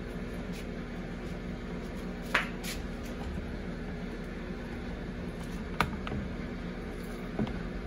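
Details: Samsung Eco Bubble WD106UHSAWQ washer-dryer on a 2-hour timed drying of a blanket, panel sitting at 1 minute remaining for several minutes: quiet steady low hum with occasional light clicks; normal drying cycle.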